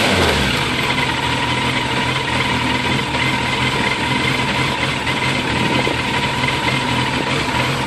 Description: A video of my 2001 fzs600 idling / hunting. Frustrating.